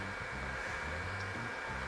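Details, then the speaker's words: DR.Q L8 compact video projector: loud constant airy roar with hissing edge, unchanging; extremely noisy cooling fan. "donc je ne sais pas si vous entendez le bruit il est extrêmement bruyant"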